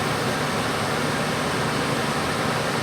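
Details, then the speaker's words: Van central AC unit running off the van's electrical system, set at 75 degrees: steady airflow rush with low compressor hum as compressor kicks on, exhaust air heard out the back, no rattles or squeals; normal air conditioner running and cooling. "already cooling. I heard the compressor come on. You can hear the exhaust air coming out the back."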